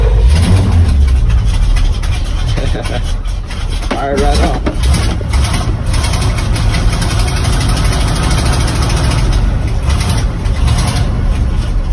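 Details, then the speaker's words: Truck rated to haul 26,000 lb, cold start after sitting, fuel pumped, out of gear, choke on, started without a jump: low lumpy rumble settling into steadier idle; normal cold idle on choke. "still not in gear and choke is on looking a little bit starting to even out over here"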